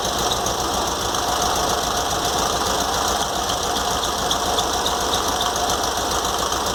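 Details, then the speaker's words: VW Beetle engine idling after a carburetor cleaning, with the generator fan shroud cleaned and the fan spaced off the shroud using two washers: a thin, constant whir above the engine beat remains, probably a bearing, not yet confirmed. "mas ainda tá um pouco de barulho ainda porque provavelmente é um rolamento aqui dent"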